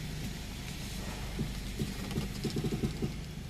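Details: 2007 Honda Accord turning the steering wheel at parking speed: low, uneven creaks and groans like an old bed; heard only while manoeuvring or parking, source not yet found.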